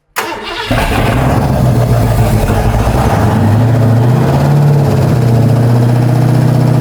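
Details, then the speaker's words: Ford 460 big-block V8 at first fire-up after a camshaft install: strong, steady fast idle around 2000 rpm, even and smooth with no misses or knocks; a cover leaks slightly on one side. "tell me when I'm at 2000 sounds amazing the mouth cover is leaking a little on that side I ain't worried about it"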